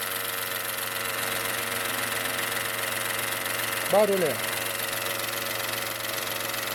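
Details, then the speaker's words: 2017 Peugeot 208 1.2 three-cylinder, noise that grew louder over time: steady run with a constant whirring whine that persists with both accessory belts removed, loudest at the timing cover near the tensioner. Points to a worn timing belt. "Pessoal, o barulho tá muito forte aqui, ó, nessa tampa."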